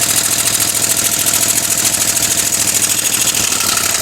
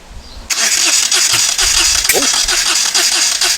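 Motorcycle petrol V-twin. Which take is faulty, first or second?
second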